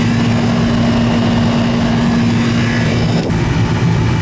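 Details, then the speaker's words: Old Goodman AC unit on R-22, called in for not cooling. The compressor has just started and runs with a steady low hum and even fan rush, no knocking. It was possibly low on gas or needs a hot start kit. "Eureka! The compressor just started. It's an old 22."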